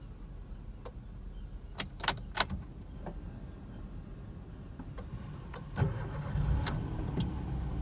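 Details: 2018 Toyota Aygo X-style VVT-i CVT: a few clicks, starter turns briefly, engine catches and settles into a quiet, even idle with no knocks.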